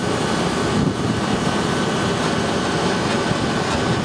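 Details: HVAC unit with compressor on, head pressure rising to about 250 psi: even rushing airflow over steady motor drone, no rattles, scraping or squeal; condenser fan running normally.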